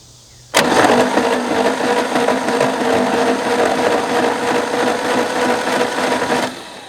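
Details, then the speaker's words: 1964 Chevy Biscayne abandoned behind a barn for 30+ years, first cranking after fixing wiring connections: harsh, uneven churning as the engine spins without catching; compression checked, spark next. Abnormal cranking noise. "There we go. Well, that sounds not good."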